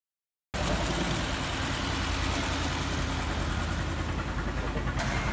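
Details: Bentley with the Audi 4.0 litre twin-turbo V8 idles with an uneven, stumbling low rumble; the misfire comes from carbon buildup and is being treated with a direct-injection carbon cleaner.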